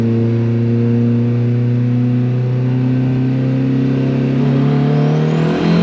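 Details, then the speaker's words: Built-engine turbo Honda Civic on 20 psi with DIY methanol injection, warmed up, hard acceleration pull: smooth strong rising engine tone with faint wavering exhaust flutter, not surging; cause unclear. "I don't know if you guys can hear it, but it's doing this like it's not surging. It's actually pulling really smooth and really strong, but the exhaust sounds weird. Like it almost sounds like the exhaust is fluttering."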